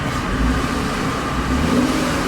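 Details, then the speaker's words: 1997 BMW 328i E36, long sitting, suspected blown head gasket, after coolant hose and bottle refit: strong clean revving, even drone, no knocks or misses; slight exhaust condensation, no head gasket signs. "now we can just get the check engine light out and she grabs really good you can rev it all day it's got a little condensation coming out of the pipe it's not a signs of blowhead gasket"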